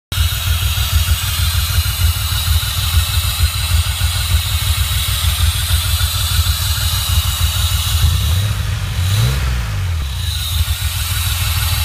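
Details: DeLorean engine under load: a steady low drone with a rough metallic grinding edge on top that sags near the end; metal grinding noise with loss of power, cause unknown.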